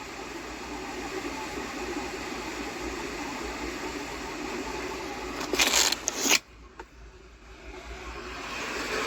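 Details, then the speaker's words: Volkswagen Tiguan HVAC blower motor, fixed by freeing the stuck fan, running on the HVAC control: steady even airy whoosh with no rubbing or ticking, then abrupt cutoff; blower working normally. "there so now it's running by the control the HB control so that's it"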